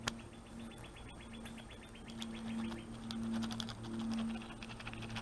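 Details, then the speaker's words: 1978 Toyota Pickup/Hilux clutch throw-out bearing, removed and spun by hand before new clutch install: dry gritty rasp, faint hum, uneven ticks; a good one should make no noise at all; worn throw-out bearing. "That's bad. Not supposed to make any noise at all. As compared to my video the other day where I said it might make a little noise. No, when they're working right, they don't make any noise at all."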